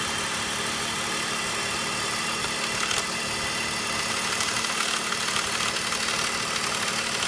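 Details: E39 BMW 5 series 3.0L M54 inline-six idling with light uneven rattle over engine hum from a failed DISA intake manifold valve.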